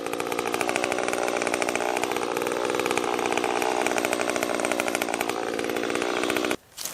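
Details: Stihl MS 194T top-handle chainsaw after muffler mod (inner baffle removed), freshly tuned, cutting red oak: high buzzy two-stroke scream holds steady through the cut without bogging, then cuts off; normal running under load.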